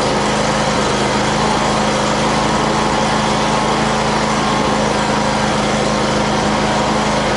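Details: Predator 670 V-twin swapped into an Exmark mower, PTO shaft installed, test run bolted to a table to check for vibration; steady, even drone at constant speed with a firm low hum, no knocks, misses or rattles; normal running.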